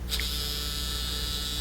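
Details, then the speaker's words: Nokia Lumia 900 vibrate motor: a loud, steady, metallic buzz like an electric razor; confirmed on another unit as this model's normal rattle, unlike the quiet Lumia 800. "On the 900 though, it's a loud vibrate. I mean, it's effective, you'll feel it in your pocket, but it has this weird rattle to it."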